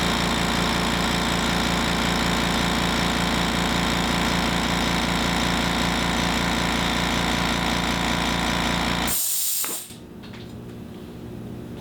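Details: Harbor Freight 2-gallon air compressor on a table, phone decibel meter between compressors (background about 36–37 dB): steady fast pumping chatter, about three and a half strokes a second, unbroken until shutoff; normal healthy running.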